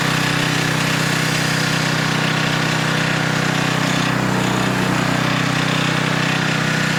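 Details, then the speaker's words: Older Tecumseh 10 hp engine on a 4,000 W generator with adjustable carburetor jet, carrying a 1500 W load at about 62.4 Hz; steady low drone without dipping or hunting. Normal governed run under load. "It's running smooth. Usually, it'll dip down a little. It did not budge one bit."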